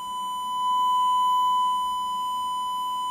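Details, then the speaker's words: DTech 3300K karaoke amplifier-mixer after restoring oxidized potentiometers: 1000 Hz signal-generator tone into the DVD/music input gives a steady pure high beep, even in level, no crackle, hum or flutter. Clean amplifier output. "Okay, well that's the sound amplification for the bypass, or for the music. Pretty cool stuff, huh?"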